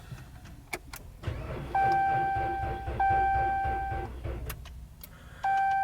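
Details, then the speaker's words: Ram 1500, fifth generation, battery installed around 2022, starting harder in cold central Maryland weather, corrosion on the negative terminal: dash chime and fast rapid clicking, but the engine never turns over. No start from a weak battery, needs a jump start. "There is not. So, I'm going to have to use uh a jump starter and start it up."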